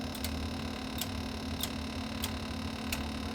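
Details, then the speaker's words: Tokyo Hy-Power HL-1.2KFX amplifier under repair on 50 V, pedal keyed: crisp single relay clicks about every half second over a steady mains hum, full relay movement, proper gate voltages, nothing tripping into fault; normal switching. "yeah we got full relay movement and nothing's going into trip"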